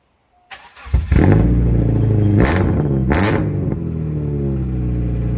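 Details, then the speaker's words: Subaru (still smokes a bit) before muffler fitted, exhaust running with no muffler: starter catch, then deep raspy blat through a blip, staying booming at idle, obnoxiously loud. Loud exhaust from missing muffler. "so you can hear how bad the subaru is right now and to say at least it's obnoxious as [ __ ] and that's being nice to it"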